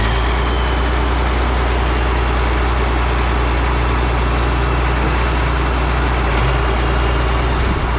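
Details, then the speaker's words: Caterpillar 977K track loader revived after sitting 12+ years, hydraulic line just fixed; diesel started after extra cranking, deep steady rumble holding even at warm-up idle with no knocks or misses. "it popped off with a little bit more cranking it sounds good it's sitting there idling nice go ahead and give it a second to warm up"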